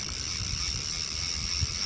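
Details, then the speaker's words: Used Japanese-market Penn International II 16S right-hand reel, made in USA, lever drag set: fast, fine, dry clicking with a light gritty edge runs steadily through the turn; reel very noisy when cranked. "ตัวนี้เป็นคลิปเสียงนะครับที่เสียงจะเป็นแบบกระเดื่องนะครับผมเปิดผับขึ้นแบบนี้นะครับฟังเสียงนะครับลั่นๆเลยนะนะฮะ"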